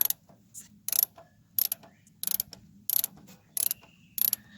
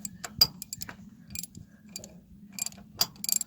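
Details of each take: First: Old Cat 955L crawler loader: the pedal linkage is worked on the steering clutch/brake side that works, giving repeated dry metallic rattles but no click. The other side clicks, and its brake band is suspected broken. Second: Cat 955L loader, engine off, after brake pedal adjustment: sharp irregular metallic clicks as the pedal is worked, on one side only; the owner suspects a broken brake band, not confirmed.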